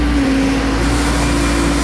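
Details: Diesel mower that used to die when PTO engaged, after time delay relay reinstalled, warmed a minute or two: steady diesel drone at even pitch with blades engaged, no stumbling or dying; normal running under PTO load.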